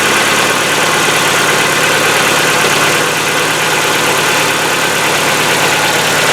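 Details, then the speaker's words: Hyundai Getz, cold engine after a day in the garage, old oil: fast, light bright ticking over steady cold idle; hydraulic lifter noise lasting about a minute before stopping, longer in winter. "Зимой, конечно, он по времени подольше стучит, пока прогревается. В холодном автомобиле, в холодном моторе звук присутствует."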